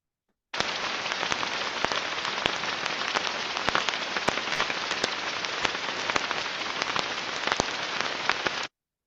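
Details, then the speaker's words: Ultrasound recording at about 30 kHz of a damaged rolling bearing: steady rushing hiss broken by irregular sharp crackles and pops, unlike the uniform rushing of a good bearing. "another similar bearing and you already see it right it's more damage"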